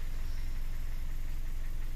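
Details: Car that stalled while driving due to lost coolant, oxygen sensor fault code stored, after refilling water and quick test: low smooth idle, even steady pulse, no skips or stumbles; misfire gone, normal idle.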